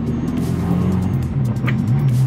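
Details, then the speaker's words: Warm car on road under load, with an exhaust line believed to be almost entirely new (manifold and bend original): deep, smooth exhaust drone rising and falling with revs, no rattles or blowing; exhaust sounds healthy. "fait pas un bruit moche. L'ancien gars qui l'avait, il a mis une ligne, il a mis un pot d'échappement dessus."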